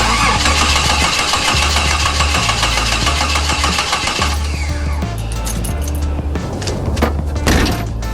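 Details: Jeep with a new wiring harness and new plugs cranks steadily at under two beats a second for several seconds but never catches. It cranks but won't start.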